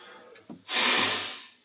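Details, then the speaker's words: Tractor air system after new air throttle installed in dash: brief high hiss of escaping air swelling then fading; owner suspects the fitting that required full disassembly; air leak hiss. "यहाँ से हल्की सी सरसराहट की आवाज़ आ रही है। मुझे लगता है कि ये उसी फिटिंग की वजह से है जिसके लिए मुझे इसे पूरा खोलना पड़ा था।"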